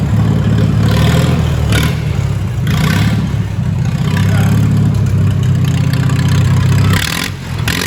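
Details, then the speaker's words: Minneapolis-Moline tractor running again after a long time, good oil pressure but not charging: engine catches and runs, rough but steady beat through several throttle blips; normal running. "i love the sound of this tractor let me let you hear it"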